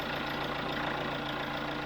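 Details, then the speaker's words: Chevrolet Tracker at warm idle, about 88 °C: steady idle with a light quick tapping on top, valve tapping attributed to a worn rocker arm; the camshaft is to be removed for repair. "bom que pessoa na Tracker do Márcio a batidinha de válvulas ap só está relacionado a um Balancear que abriu o bico"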